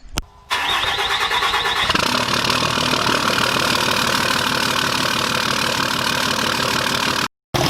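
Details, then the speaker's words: Dodge 5.9L Cummins diesel, first start after top-end work (new injectors, pushrods, valve springs, head studs, coolant bypass), warming up to bleed air from the radiator; brief crank, then even, steady idle clatter, no misses or knocks; normal start and idle. "Alright, so we just got the valve cover back on, everything else bolted back up, and now we're just trying to get it back up to temp and make sure that there's no air in the radiator."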